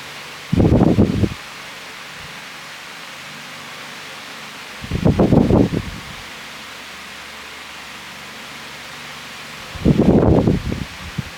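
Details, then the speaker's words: 1996 Lasko 16" Model 2116 oscillating pedestal fan, mid-to-late-90s thrift find, discolored: steady fan hum broken by a harsh buzz under a second long about every five seconds as the head swings; fan runs great but buzzes when oscillating, cause not yet checked. "The fan does run great, But doesn't sound good when it oscillates some reason cuz I can hear buzzing from the thing."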